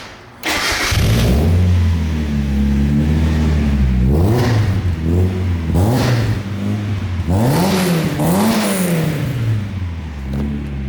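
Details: Mazda Miata-based kart, newly fabricated exhaust with new muffler just installed: engine catches and revs up and down several times with a deep, even exhaust note; sounds healthy and not overly loud, normal exhaust note.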